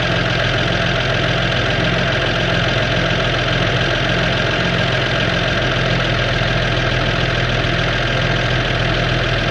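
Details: 1969 Toyota FJ55, first start in 13 years after new correct points installed: old six-cylinder idles with steady, even rumble, no misfires or knocking; fumes coming into cab; running smoothly.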